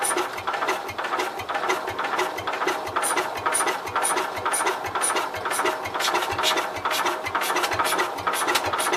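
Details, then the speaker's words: Cub Cadet 122 garden tractor, clutch locked down so the transmission isn't turned: the starter cranks slowly and steadily with only a weak putt or occasional catch, and it never runs. Owner suspects lost spark or leaking valves. Cranks but won't start. "So it's trying. It tried. Alright. I think we lost spark. Well, kind of seems like the valves are leaking."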